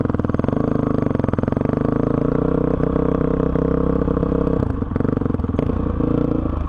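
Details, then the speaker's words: 2005 Honda CRF450X, sat 10 years, ridden after hot start blocked off and jets upped (main 190, pilot 45): single-cylinder thump stays crisp and even, no stumble or bog on throttle; normal running. "BR this thing runs great honestly great starts up first kick doesn't bog anymore I think I might have this thing perfected"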